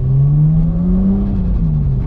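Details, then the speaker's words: RB25DET after the spark plugs were regapped from 0.45 to 0.55 mm, having previously struggled to start and idle. In a second-gear pull a deep, smooth drone rises steadily under load with no misfire, stumble or popping; a healthy engine. "Seems all right. Let's give it a little second gear pull. Seems fine to me."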